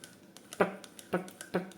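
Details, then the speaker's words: Shimano Socorro SW 6000 spinning reel: sharp ticks about every half second with fainter ones between as the wobbly, non-solid handle turns; annoying clicking while cranking. "Nah Enggak ada tek tek tek tekek bunyi tek tek tek gitu Shimano sokoro ini nih dengar ya bunyinya dengar enggak ya tek"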